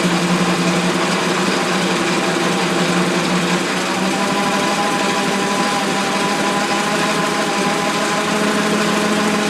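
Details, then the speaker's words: Ford Model T four-cylinder, starting after 40+ years, idling down after testing two-speed transmission: smooth ticking over with a steady hum, pitch settling lower as it idles down; normal idle. "okay I just tried the uh transmission it goes uh low gear and high gear is good it's only two speed and I let it idle back down"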